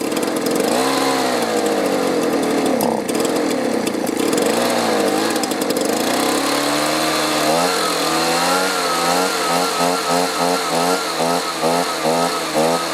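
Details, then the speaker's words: Two-stroke leaf blower stored over winter, year-old brown fuel replaced with fresh two-stroke mix: revs rise, sag and hunt in short pulses instead of holding speed; running a little better but still rough and surging, with no fuel filter fitted. "it's running a little better"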